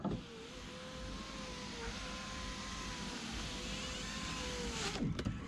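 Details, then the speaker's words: 2006 Mercedes C230 with 78,000 miles, after installing a new window regulator: smooth, even window motor whine for about five seconds, ending in a soft clunk as the glass seats; power window working normally. "I just finished installing the window regulator so the window's able to roll up and down now"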